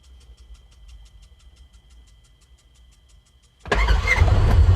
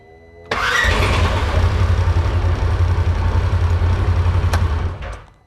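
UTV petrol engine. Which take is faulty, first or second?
second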